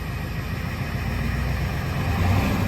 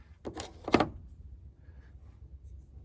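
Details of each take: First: 1990 Ford F-250 7.3 IDI diesel, restarted after 3 years once fuel was bled and weather warmed; low, steady diesel clatter at an even idle, running healthy. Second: 1990 Ford F-250 7.3 IDI diesel, sitting three years, cold February morning with torpedo heater; starter turns engine at steady rhythmic chug for about six seconds with no catch or firing; crank no start.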